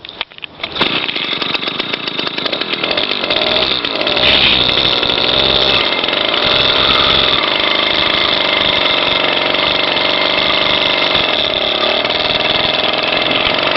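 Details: Motorized bicycle two-stroke engine kit, first start and ride: high, buzzy note settles into a steady, even run after the first catch with no miss or knock; engine running normally.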